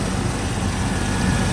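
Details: 1996 Chevy Tahoe 5.7 V8 that would not start after three days of heavy rain. It fired right up after the distributor cap was dried out and sprayed with WD40. Steady, even low rumble at idle with no misses or stumbles, a healthy engine.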